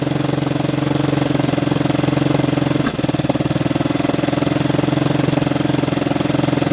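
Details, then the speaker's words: 1989 Yamaha Big Bear 350 that sat over 10 years: lumpy single-cylinder idle with no knocking, then backfiring and stumbling on a touch of throttle until it dies; timing was checked as perfect and the chain is tight, with a possible exhaust leak. "She doesn't want throttle at all right now, but it idles beautifully. So, it's still idling pretty good. I can give her a touch of throttle. Then she starts backfiring and it will die."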